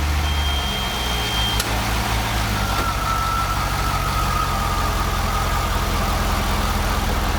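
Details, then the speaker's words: Pontiac (GTO/Trans Am repair vlog) idling after belt work to cure a belt squeal: a steady, even, low, smooth rumble with no belt squeal left. The engine is quiet and healthy. "Hell yeah! Back to being quiet."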